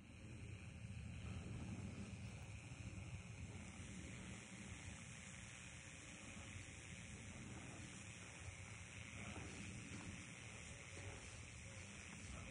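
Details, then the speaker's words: Power pole top insulator heard through an MFJ ultrasonic receiver with dish, causing radio-station interference: continuous rough frying buzz with a low hum underneath, steady with no rhythm; arcing at the top insulator. "Okay, I got something on that top insulator there. I'm going to put the phone in to the headphones and see if you can hear this. Yeah, it's definitely making noise."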